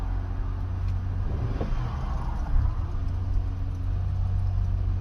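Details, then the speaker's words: 2007 Honda Odyssey after valve cover replacement, with a crumbling intake boot refitted and the car going into limp mode: low, uneven, loping idle with no clean steady note, a rough idle from an intake air leak. "it's trying to SL like an air leak somewhere just started the car up"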